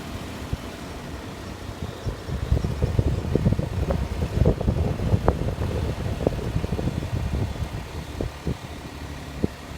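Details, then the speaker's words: Daihatsu Tanto L375S after packing both outer CV joints with Mori Joint Grease, cabin during commute drive: low road rumble with light bumps and no knock or rattle; the front driveshaft noise is gone. "昨日時間が遅かったんで試乗しなかったんですが今日タントを通勤で使ってみたら全く異音が鳴らなくなっていました"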